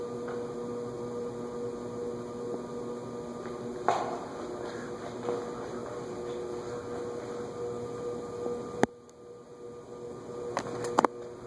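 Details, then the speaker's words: Vintage ceiling fan: a steady low electrical buzz with a faint high tone under the fan's hum. "I believe are 16 pole Motors and don't do well on variable speed controls nevertheless I've seen them sold with variable speed controls"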